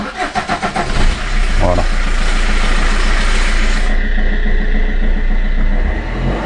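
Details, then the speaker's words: Fiat Punto 1.3 Multijet diesel, first start after fuel filter replacement and priming until no more gurgling: about a second of cranking, catches at once and settles into a steady, even diesel run; normal start. "Là, il n'y a plus de glou-glou. Donc là, ça va démarrer."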